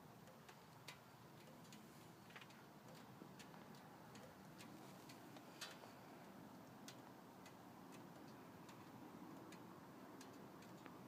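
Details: 1998 Ford Escort SOHC with new PCV routing: quiet, even idle with only a faint light tick and no belt-like squeal. The factory routing squealed from a suspected pinhole leak in the 16-year-old PCV system.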